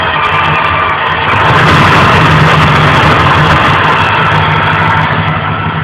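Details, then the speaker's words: Car with a new 90s-Ford-style starter and Edelbrock carburetor, loose secondary throttle shaft that won't stay shut: busy idle with hiss and squealing vacuum leak that smooths out when the shaft is pressed shut; bushings or carb replacement considered. "So I'm sure you can hear the squealing of vacuum leaks."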